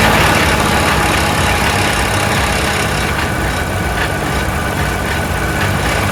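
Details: Troy-Bilt 22-inch mower, 4HP Briggs Quantum, oil good, little gas: runs loud and a bit uneven, never a clean steady beat, smoking; rough running, owner suspects oil from lying on its side or a carburetor needing cleaning.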